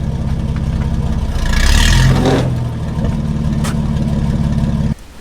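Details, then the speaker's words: Nissan GQ Patrol, TB42 carby, 5-speed manual, 35s, welded front diff, no exhaust, climbing off-road: engine labouring hard, then one sharp crack; something in the front end snapped with both front wheels turning, cause unconfirmed. "Well, that didn't sound good, did it? Hoping it was just my bull bar hitting the rock, not something in the front end."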